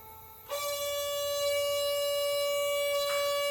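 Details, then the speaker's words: RV winterizing with an air compressor blowing out the water lines: once plugged in, the solenoid valve hiss turns into a loud steady honk because excess air pressure holds the valve open; lowering the pressure stopped it. "That's extra air pressure. I could disconnect the air compressor and that noise would go away. Let's go do that. So what was making the noise was the air pressure is keeping the valve open."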